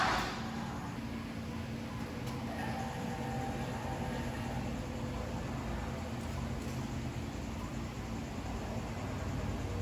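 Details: First start of rebuilt 2005 Cummins diesel after bleeding air from fuel system: cranks, catches, settles to steady even idle without misses; good fuel pressure, quiet lift pump, check engine light suspected MAP sensor; normal running.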